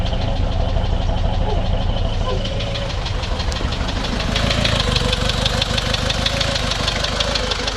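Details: Toyota Surf 1KZ-TE diesel that stalled after about two minutes at 3000 rpm and restarted with difficulty: uneven idle with loose, irregular knocking about three times a second, smoking and misfiring; owner suspects antifreeze consumption and a blown head gasket, unconfirmed.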